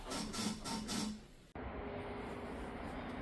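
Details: Tesla with aftermarket suspension: short repeated squeaks, one per push, as the suspension is compressed and released; fixed by spreading marine-grade grease along the shaft to the bump stop.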